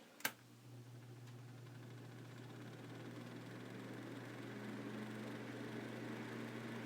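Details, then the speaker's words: Living Accents 9-inch box fan by Midea, from 2010 (6 years old), before servicing: a click, then a loud, steady low hum with a rough whirring rush that slowly builds; owner hopes cleaning and oiling the bearings will cure it. "you can see it's pretty loud so then I open this thing up here and I'll give it a clean and hopefully just a little bit of oil in the bearings will resolve that noise issue"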